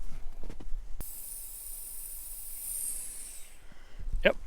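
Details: Maple sap vacuum tubing line at section A2 (about 130 taps): a thin, steady high hiss for a few seconds over quiet woods as air is sucked in at a small tubing leak.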